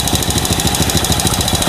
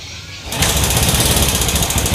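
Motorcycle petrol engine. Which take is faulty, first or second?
second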